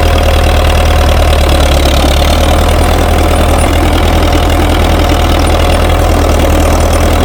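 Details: International TD-6 crawler, revived after 11 years sitting rusted stuck, running on diesel after gas start, following the #4 cylinder misfire fix. Loud, steady idle with an even low chug and no misses or knocks: running smoothly.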